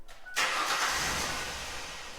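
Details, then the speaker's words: 2000 Ford Explorer cranks but won't start: short burst of strong, even cranking with no firing; owner suspects the fuel pump, not confirmed. "This is a 2000 Ford Explorer. It'll crank, it won't start."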